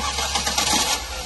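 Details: 2009 Ford Focus no-start, cranked by bridging the relay slots with a paper clip: brief crank, then the engine catches and settles into a run without clicking or grinding; start sounds healthy.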